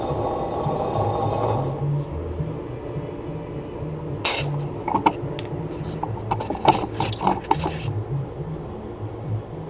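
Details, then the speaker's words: 2003 Chevrolet Silverado 2WD front hub assembly, caliper removed, hub turned by hand before replacement: dry gritty rasp in rough bursts; bearing worn. "man listen to that thing that it's not good"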